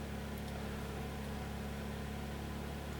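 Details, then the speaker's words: Ryobi 2200 inverter generator after AC outlet repair, electric heater added as load on top of 4 amps: steady low drone, brief rpm dip then recovers, no surging, knocking or stalling; holds speed under load. "I'm going to go ahead and turn on the electric heater just to put a re load on it yeah it took a little dip in RPMs but it perked right back"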